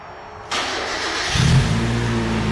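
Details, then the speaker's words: Mazda Miata, lowered, with good oil pressure: quick crank, clean catch, then smooth even low idle with no knocks or ticks, engine quiet, just purrs; normal start and idle. "wow look at that just purrs the engine's really quiet i've heard a lot noisier miata motors than this thing"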